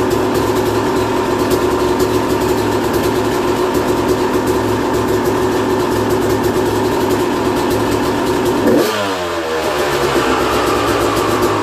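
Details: 2001 Yamaha YZ250 two-stroke bought running poorly, after new top end, jets and service (compression tested 100psi, owner has an idea why); crisp steady idle, then a clean throttle blip picks up and settles without stumbling, normal idle and revving.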